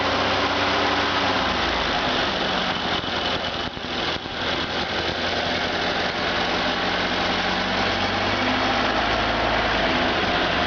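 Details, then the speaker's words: Freshly rebuilt stock Ford Model A engine (NOS Tilly carb, FSI Zipper distributor, Bill Stipe B 330 cam, matched DMC crank and timing gear) accelerating on a stand: pulls up smoothly with a steady even beat, no knocks or rattles, very little vibration; normal. "There's the Model A down there waiting for its fresh engine. Alright, sounds good. And very little vibration."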